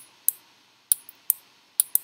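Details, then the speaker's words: Five crisp, sharp clicks in a quiet room as an Arduino-driven relay module on pin 13 closes its switch; normal relay clicking. "that's the relay clicking on so here's our sketch it's a real a demo"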